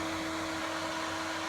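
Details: Xbox One S with its cooling fan running loud nonstop, a steady loud airy rush with a fixed mid-pitch hum that never varies, getting more frequent over about two months. The owner doubts the explanation that it is just keeping cool.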